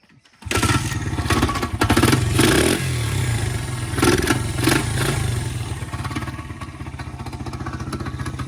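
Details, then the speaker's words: Pit bike (Honda XR100 or Yamaha TTR90, second bike): a small single idling with a loping beat and a hard knock about four times a second; a worn lower rod bearing and other bearings are suspected but not confirmed. "Let's see what noise are we hearing beside in this engine. I think it's just a little lower rod bearing, a little all the other bearings."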